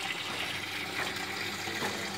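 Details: LG WF-T801TD automatic top-load washer with a fault of never cutting off water, during a solenoid voltage check (about 220 V AC on the coil): water rushes into the tub in a steady, unbroken hiss; the inlet valve is not shutting off.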